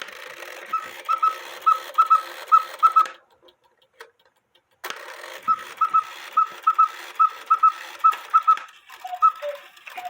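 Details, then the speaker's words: Cuckoo clock with count wheel movement: after the quail finishes its paired chirps, it chirps once more as the lower cuckoo call begins, intermittently; cause traced to the wire that lifts the bird's tail. "After the cuckoo cuckoos, the quail will chirp one time. But it doesn't do it always. I gotta make the quail chirp first. It's in warning. Did you hear that? The quail chirped while I was cuckooing."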